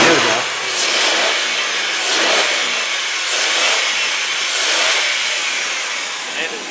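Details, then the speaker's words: 2002 Ford Taurus SES 3.0L V6 revved by hand under the hood: engine rises and falls cleanly through several blips; no high-rev knock or valve-train noise, sounds healthy. Had a new A/C compressor fitted earlier. "just heard um sounds good no High Rev knock there's no valve train noise nothing bad"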